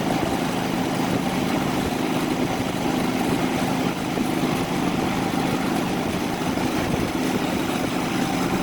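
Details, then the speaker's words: Predator 3500 generator with 131 hours, after an idle jet cleaning and idle adjustment for surging. It runs under air conditioner and evaporative cooler high fan and pump load, holding a constant-pitch drone with no hunting or surging: running healthy. "then we'll go to high fan and pump so definitely load there"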